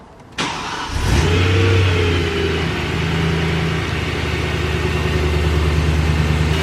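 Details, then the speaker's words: BMW E92 M3 V8, first start after an oil fill and new spark plugs: a quick crank catches at once and the rev flare settles into an even, steady idle with no ticking, miss or check-engine light; normal start and idle. "all right guys car is all running perfectly no check engine lights or anything like that no weird ticking noises"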